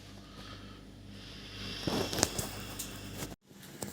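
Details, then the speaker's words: Bosch SMV50E10RU/D5 (SD6P1B) dishwasher, complaint of humming and not starting, on short glass program: after draining, low steady circulation pump hum with clicks and pause during its three-start self-test before filling; normal. "сейчас идет тестирование рециркуляционного насоса три пробы должны быть запуска после этого начнет заливать"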